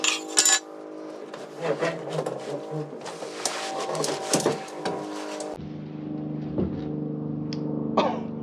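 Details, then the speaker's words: Classic Ford Thunderbird fuel tank removed and shaken: long gritty rattle of loose particles like a rain stick; heavy rust debris inside the tank, one of the worst heard. "Could you hear the rust in that tank? That's one of the worst I've heard. Only my buddy's BMW was worse than this. Sounded like a rain stick."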